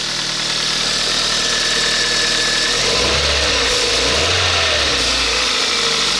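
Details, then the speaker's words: 2007 Kia Ceed 1.6 petrol, 150,000 km, after replacing the intake cam phaser for a cold-engine top-end noise and loosening an overtightened alternator belt: smooth, even idle with a brief rev, no rattle or whirr; valve clearances within tolerance; noise gone. "Ну здається цього звуку Я вже не чую тихенько тут там можливо чути трішки клапанці Ну зазори там в допусках"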